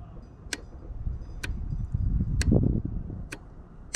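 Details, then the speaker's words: Snapper LT200 riding mower that cranks but won't start, with no fuel being drawn through the filter: turning the key gives crisp separate clicks over a faint rumble, showing the anti-kickback fuel shutoff solenoid snaps open normally. "So I was thinking maybe it was the anti-kickback solenoid not opening up. But when you turn the key, you can hear it click."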